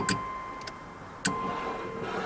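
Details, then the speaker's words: 1989 Dodge Daytona ES salvage-yard car: the wiper motor gives a thin steady whine with a few sharp clicks but the arms don't sweep; owner suspects a part was stolen, so the wipers aren't moving. "somebody's robbed something off of it that's why they're not moving"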